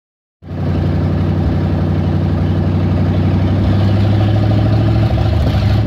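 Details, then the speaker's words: 360 5.9L V8 idles rough and very high with an uneven, loping pulse, from a vacuum leak at the PCV valve. "all right so um right now I'm working on my vacuum because my car was piling rough and Eiling really high so right now I'm working on my PCV valve right here"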